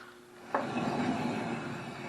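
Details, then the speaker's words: 1968 Dodge Coronet, left (driver's side) front wheel hand-spun with camera close: rough gritty grumble fading as it slows, unlike the right side; bad wheel bearing, to be replaced with new inner and outer bearings, races and seal. "you can hear that difference, you hear that grumbling in there, that's our bad bearing."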